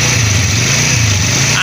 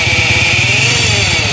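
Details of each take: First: 100cc motorcycle after bearing replacement, engine noise previously appeared when clutch was pressed: steady even low idle putter with clutch held in, no rattle or rumble; noise gone, engine smooth. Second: 100cc motorcycle at idle: a high, steady whirring hum starts inside the engine when the clutch is pressed and disappears when it is released.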